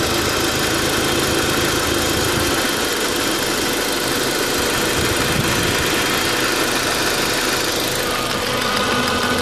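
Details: 2004 Audi A4 B6 1.8T, running rough since a new water pump (cracked impeller, overheating) and new timing belt were fitted: uneven, lumpy idle with a harsh rattle; rough idle, cause not pinned down.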